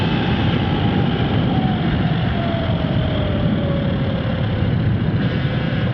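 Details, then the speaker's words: Sur-Ron Ultra Bee electric motorbike with primary belt swapped for a primary chain, standard final chain, riding at about 76% battery: steady motor whine slowly falling in pitch over road rumble, sounds different but no noisier, no clatter or grinding; normal chain drive. "I mean, it sounds different. I don't think it's any noisier."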